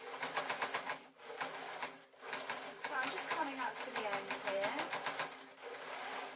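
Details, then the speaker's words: Sewing machine hemming a flowing ruffled shirt: fast, even stitching rattle with slight banging knocks as the needle punches through an extra layer of fabric in a thick seam. "don't know if you can hear that it's banging slightly. That's because I've got an extra layer around."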